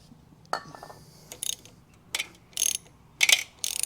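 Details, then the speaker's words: 1975 Kawasaki KE125 two-stroke, seized after long storage, freed with penetrating oil and hammer. Short bursts of gritty crunching each time the engine is turned by hand; something dragging, owner suspects bottom end, unconfirmed. "Oh, it's a little crunchy. I'm not sure what that is. That's not supposed to be there. That's in the bottom end maybe."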